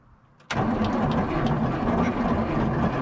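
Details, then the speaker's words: 1973 Peterbilt 352 cabover, 12V71 Detroit Diesel, sitting since 1986: sluggish uneven cranking without catching; owner suspects a bad series-parallel switch not switching to 24 volts, so it cranks too slowly to start. "it's the series parallel i think is bad it's not clicking over to 24 volts so i think it's going to crank too slow to start"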